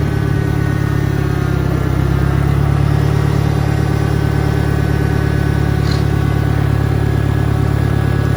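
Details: 1963 John Deere 1010, original and properly maintained, 1,000 rpm, third gear on a backyard lap, smoking slightly until warm (needs valve seals); low even drone with a faint steady gear hum, no whine or clunks. Normal transmission noise.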